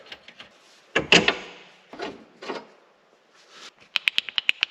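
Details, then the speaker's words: 2001 C5 Corvette that sat outside for years and wandered over bumps: the removed outer toe link is rocked by hand, giving loose uneven knocks and light clicks from a worn toe link joint. "It's kind of like an outer tie rod end. I think they'd call it a outer toe link."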